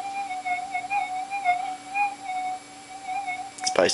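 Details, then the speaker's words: Minelab GPX4000 metal detector after a ground balance modification, set to Sensitive Extra. After ground balancing, a steady whistle-like threshold tone holds with slight waver and faint electrical background noise; the ground has tracked out. "okay it's basically track that out it's got a bit of background noise there now"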